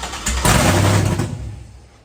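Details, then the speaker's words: Freshly installed engine, first start with VATS anti-theft disabled, jumper start, no radiator: fires and runs rough about a second and a half, then dies; suspected immobilizer-related start-then-stall. "It did say something in there about if it starts and then stalls immediately."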